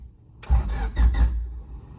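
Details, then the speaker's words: Honda Civic EG hatch with push-button start, before new starter, grounds and terminals: slow, labored cranking in short bursts, starting only on the third try; cause suspected, not confirmed. "I've noticed that the Civic has been taking a little extra long to start sometimes"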